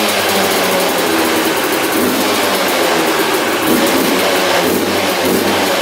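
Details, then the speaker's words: 1997 Yamaha YZ250 two-stroke dirt bike, sat for years: loud crisp buzz, steady with slight rise in revs, firing evenly; normal running. "check this out now you can hear the slide hitting in the carburetor so it's bottoming out now we can adjust it how we like it"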